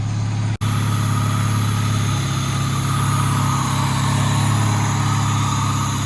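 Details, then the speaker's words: 2000 Honda Civic D16Y7 just started after a crank-no-start: deep, even idle with a steady beat and no stumbles or ticks; the start fault is attributed to the distributor, likely its CYP camshaft position sensor. "all right so i didn't put plugs in it i just kept nussing it and it"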